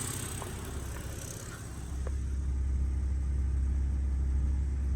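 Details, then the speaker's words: BMW E90 325i N52 idling smoothly after a rough-idle/misfire fix (loose wiring reconnected): faint quick ticking is normal fuel injector noise, no misfire. "That tick tick tick tick that you're hearing is the uh injectors, but the car is not misfiring."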